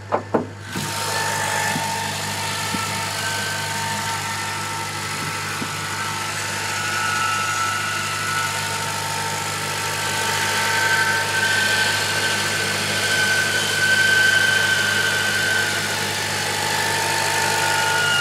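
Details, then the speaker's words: 2007 Honda Civic Si, 67,000+ miles, cold engine, parked idling: terrible metallic rattle with whirring under the hood that stops when the clutch is pressed slightly and continues when revved. "i'm idling right now this is just a terrible noise every time i press the clutch down a little bit it'll stop"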